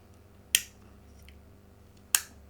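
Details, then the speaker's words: Philips 138 Mistral Four valve radio under restoration, being checked for a power problem: after repair the switch now gives two crisp, positive clicks over a faint hum, a normal switch. "this was fixed apparently on [Music] monday and the switch is now clicking"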